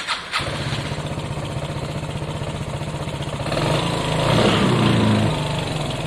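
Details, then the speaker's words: Piaggio Fly 125 scooter after an engine swap. Catches first try and settles to a quiet, even putter with a brief rev blip; sounds much better with that clutch. Normal start and idle. "It's quiet. They normally run fairly quick. They're not the quickest, but they run okay. Sounds much better with that clutch."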